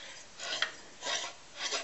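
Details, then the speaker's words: Briggs engine with an Alcon water pump turned over by hand: three slow, dry rasping grinds coming from the stiff water pump; engine itself fine, compression weak, oil and WD-40 added to the cylinder. "It made quite a bit of grinding sounds. That's the water pump, you can hear grinding."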